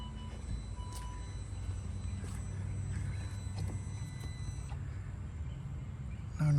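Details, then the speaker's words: 2009 Saab 9-3 Aero XWD idling with an even low rumble and no whine, after the leaking vacuum pump line was temporarily repaired with fuel line, band clamps and O-rings. "um so I ended up using a gas line for the golf cart and some uh band clamps O-rings whatever I don't know that fixed it so I am good I don't like this fix but it fixes the noise so I'm good with that for now"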